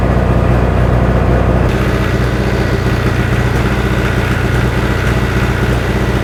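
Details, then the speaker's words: Freshly rebuilt John Deere 1010 diesel in its first run-in, still smoky: loud, steady clatter with even low beat, no misses or hard knocks; running smoothly. "I have to run it for an hour or so I'd like to see it calm down Blow by remember how that was smoking like crazy before sounds good"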